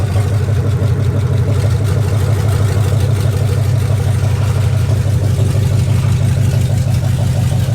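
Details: 2004 Dodge Ram Rumble Bee, swapped 6.1 HEMI V8 from 2006 SRT Charger, open headers, on the ground: deep choppy rumble with steady beat around three a second; healthy, though dash warning lights on, AC and O2 sensors unplugged.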